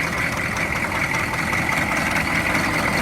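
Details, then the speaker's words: 2002 Chevy 3500 utility truck, 6.5 L diesel, 89,150 original miles, idling: steady heavy diesel idle with a loud, hard clatter over the low rumble; noisy but idles evenly with no misses, something sounds rough in the front. "engine sounds loud. It all appears to be complete. Idling pretty smooth, and I didn't keep it running too long."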